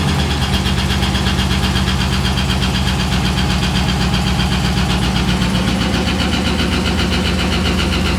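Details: 6.0L LS-swapped S10 with fuel system clogged by rust from the gas tank: rough, lumpy idle with an uneven stumble about four times a second; sticking injectors misfiring, though sounding a little better.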